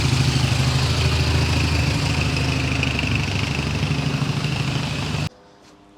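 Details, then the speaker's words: Triumph Bonneville twin fully warmed up, idling in a roughly 20-minute run: a touch high and uneven, lumpy beat with no clean settle, then it cuts out at 20 minutes; sounds rich, owner suspects revs too high; unconfirmed. "Possibly the revs are too high. It's just a bit too frantic. It doesn't settle down into a nice little thud, thud, thud. It's not calm enough at the moment."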